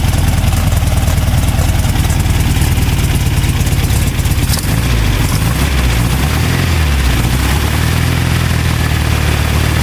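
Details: VW 2010cc engine after its knocking was fixed; steady, even idle with a low rumble and no knock, running smooth and healthy.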